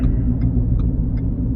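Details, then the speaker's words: Ford Fusion hybrid with a noise from the rear, driving on the road: low steady droning roar with no engine note, coming and going, heard when swaying hard left but not right; suspected bad wheel bearing. "Can you hear that? That roar, roar, roar. So now, it's still there. It's not there. Still there."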